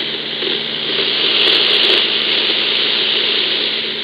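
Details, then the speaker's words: EcoFlow River 2 Pro inverter heard on a receiver near 49.53 in AM mode: steady hiss with faint low buzz, present even with powered speakers off, gone when inverter switched off; inverter RFI. "I heard the noise even with the front speakers even with the powered speakers off but as soon as I kill the inverter the noise goes away again"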